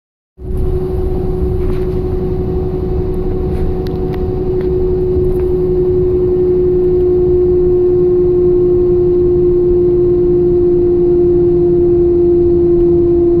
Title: 2002 S10 whinning/humming noise